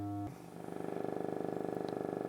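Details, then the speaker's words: Altec 604-8G studio monitor driver after recone, driven directly by an amp with a 100 Hz test tone: a raspy, fluttering buzz rides on the tone; the voice coil was centered wrong and rubs, and pressing the cone stops it. "Yeah, so as you can hear, there's a lot of vibraty stuff in"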